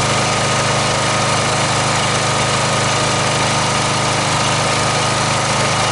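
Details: Snapper 38-inch scrap riding mower idling; busy, even clatter at steady speed, no misses or knocks; sediment bowl gasket suspected of leaking, owner says it sounded pretty good. Normal idle.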